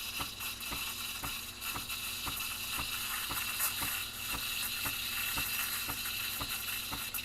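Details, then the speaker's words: Breville Barista Express steaming milk after the wand reheats from espresso range: a steady, even hiss with a faint gurgle as the tip sits just under the surface. This is the correct stretching sound to hold throughout, before swirling at about 80 degrees. "there we go you hear that like sort of hissing sound that's what you want the whole time"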